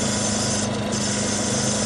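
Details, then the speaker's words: Ryobi Bluetooth generator that would not start, after draining the fuel and cleaning the carburetor, started on cold-start setting on the third pull: steady, even engine drone with a constant hum, no misses or surging; runs smoothly. "I turned it to on the third crank. It cranks right up. Sounds pretty good."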